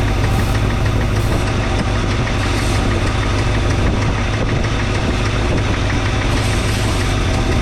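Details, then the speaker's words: 1962 Chevrolet C10 V8 just started, carburetor idle raised, timing being adjusted, old possibly bad spark plugs, thermostat not yet open: deep idle with uneven, shaky pulse; rough idle, perhaps misfiring cylinder. "I still haven't changed the spark plugs, so don't be too alarmed about it running rough."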